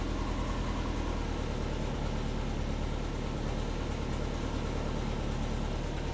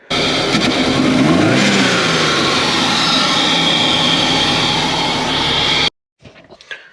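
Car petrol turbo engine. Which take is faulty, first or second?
second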